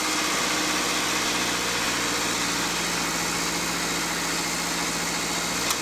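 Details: Car idling after new battery fitted to cure no-crank fault, alternator charging steady 14.30–14.31 V; smooth, constant low hum with no misses, knocks or squeals, normal healthy idle.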